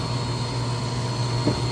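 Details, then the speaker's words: Electrofreeze unit run on a direct line after a contactor replaced days earlier failed, line one suspected obstructed by organic material: loud, steady, coarse buzzy hum, running harsh and rough under strain. "now what I can do is I can direct line this to prove I'm right all right so listen how terrible that sounds now here it"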